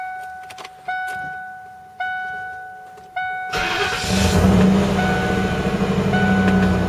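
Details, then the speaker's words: Lincoln Mark VIII V8 cold start after sitting unrun since November over winter: three chimes, starter catches at once, settles into steady even idle; starts easily, normal cold start. "Starts like nothing."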